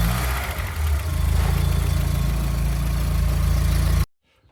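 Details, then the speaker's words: Mk2 Golf VR6 after running issues that may have come down to the alternator; starts better than ever. Steady even idle with smooth regular firing pulses and no misses, knocks or hunting before cut-off: normal idle. "And the revs are actually nice and smooth as well."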